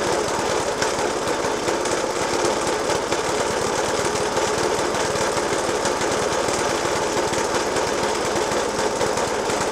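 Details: Suffolk Punch 30S mower, 1991 era, Dellorto FCH 20 carb; after new spark plug, decoke and carb clean, still loud rapid hammering bangs over a ragged, harsh, uneven idle; cause unknown.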